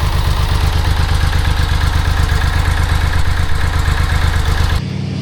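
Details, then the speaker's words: 1995 BMW K75RT after sitting 8–9 years, before new Z intake pipe: low uneven chuffing at slow idle that stumbles and dies away, unhappy at low rpm; rough idle. "It'll start, but it's not happy at idle. It doesn't want to be at low RPM."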